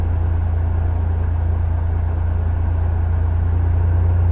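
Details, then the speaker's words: Older BMW, engine running, idle air control duty stepped up from 54% to 55% and higher via a Mucar CDE900 Pro scan tool: steady idle drone gradually rises in RPM after a slight delay, smooth; idle speed rising. "oh yeah it's a little bit of a delay but we're at 55 I just heard I heard the RPM go up a little bit"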